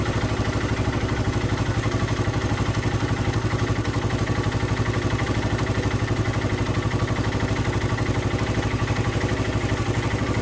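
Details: Hero Karizma R motorcycle engine at steady idle with fast, fairly even clatter around four beats a second over the exhaust; abnormal engine noise, cause unclear.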